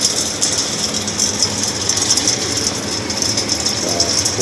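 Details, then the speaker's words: Axeman-Anderson 130 coal stoker heating a Mahoning 500 wood boiler, one week in, cycling on to about 180°F and kicking back on about 10 minutes after shutting off: steady whirring hum, high hiss and light even feed clatter, no grinding; running normally. "and like 10 minutes later it kicks back on digging coal out of the bin all by itself"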